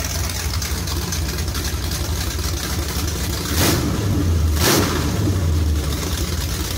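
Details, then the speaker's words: Charger with a 383 V8, Whiplash cam and small-valve heads: deep, choppy lopey idle with two throttle blips; raspy exhaust leak underneath, but the cam is now audible over the leak. "that sounds a lot better you can actually hear the cam over the exhaust leak"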